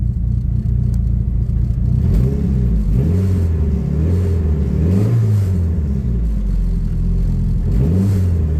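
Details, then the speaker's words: Drag-race Neon engine with a sanded and polished rod bearing, warm after 10–15 minutes idling: several clean blips rise and fall smoothly with no knock, where before knock was prominent from about 2,000 rpm; healthy bottom end. "Wow, surprisingly no knocking as of yet. Before, if I even revved to about 2,000, the knock was pretty prominent, as you can hear in that last video of the track day."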